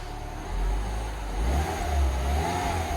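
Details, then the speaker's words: R56 Mini Cooper S after engine rebuild and new braided line fitted, started with code reader attached and engine management light still on: low, even, very quiet hum rising gently with throttle, no ticks or knocks; normal running. "sounds perfect very very quiet"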